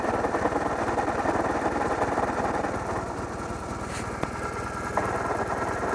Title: I don't think it's supposed to sound like this.